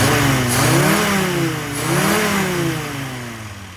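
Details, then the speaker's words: Carburettor engine in running-in, after fuelling adjustment, revs up and down twice, cleanly and evenly with no stumble or popping; fuelling holds around Lambda 1 across the range, healthy. "certainly sounds good uh fueling is nicely under control across the red range"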